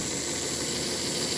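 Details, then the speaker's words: Model train locomotive motor rebuilt into a tighter chassis: light even high-pitched whir with soft hiss, no crunching gear noise; normal motor and gear running. "Nice and easy. You don't hear the crunching gear noise like we had on the other one."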